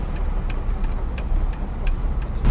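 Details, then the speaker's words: Copart SRT Durango build, while driving: light sharp clicks every third to half second over steady road and engine rumble; small clicking from the rear, source not yet found. "next thing is left to fix whatever that noise is probably something small something like clicking back there"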